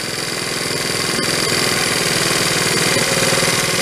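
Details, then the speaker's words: 1974 Honda Z50 monkey bike, restored but never running, idling with a busy, uneven beat and wandering speed. Spraying carb cleaner makes the idle drop off, revealing an intake air leak. "all right yeah except to get a kill switch so that's what it's got an intake leak right there as soon as I spray it you hear it drop off"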